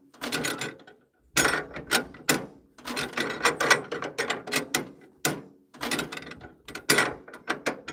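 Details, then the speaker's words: Cold 1940s International Cub engine on a wood splitter, hand crank-starting: slow, uneven cranking with an occasional sputtering pop as it almost fires but never catches; carburetor likely out of tune (owner mentions cheap replacement carb), cause unconfirmed. "You can hear it wants to go. Oh, so close. It is cold."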